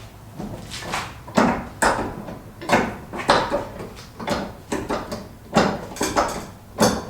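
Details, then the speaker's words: Citroen Relay self-converted camper van, rear suspension creaking and knocking only on uneven ground, reproduced by jacking the van up. Loud irregular creaks and bangs about every half second. Owner suspects worn bushes on the rear leaf spring, not confirmed. Suspension creak and knock. "Right, I think it's the bushes on the rear leaf spring."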